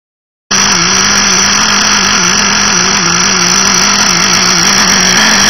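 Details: FSR V3.5 nitro engine screaming at steady high speed with a slightly wavering, unsteady note from a rich fuel mixture.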